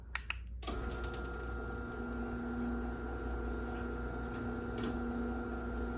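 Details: 2010 Chamberlain Whisper Drive 248739 1/2 HP belt-drive garage door opener, 120 V AC motor, running: couple of clicks, then low steady hum and faint whir, no grinding; unbelievably quiet, healthy.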